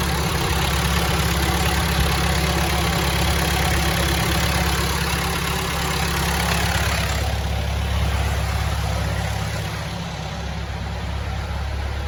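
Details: Telehandler diesel in snowy cold after extensive fuel-system bleeding of air bubbles for fuel issues, starter cooled: engine settles into steady even idle with smooth low rumble, no surging or stumbling; runs healthy.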